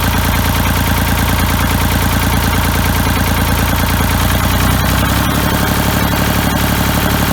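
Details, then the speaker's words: Ford 3000 diesel tractor with Select-O-Speed, after freeing stuck Simms injection pump plungers and cleaning and testing the injectors: steady, even clatter at idle with a slight speed change midway; running smoothly; normal idle. "that sounds like it's running pretty good now you shut it off"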